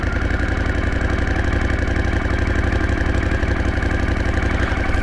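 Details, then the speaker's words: 1981 Honda CX500 horizontal twin in neutral, idle just turned down after carb balancing had raised it: low, even thrum at a settled idle, steady pulses around four per second, no hunting or misses; sounds better. "How's that? That sounds better, right? Let's try that again."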